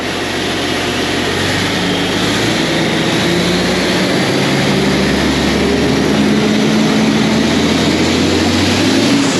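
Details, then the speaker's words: Tractor 8320 diesel with a freshly rebuilt engine, running after some adjustments and the fuel primed: strong steady clatter at an even fast idle, no knocks or misses, starting much easier; exhaust not yet fully connected. "wow that went a lot easier that went a lot easier that time"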